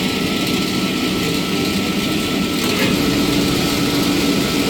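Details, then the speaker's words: Rebuilt pump with new bearings and seal on a five-horsepower three-phase motor: smooth, even whir with a steady high tone, no grinding or knocking; quiet after repair. Normal pump running. "of them nice and quiet and that is a five horsepower three-phase motor"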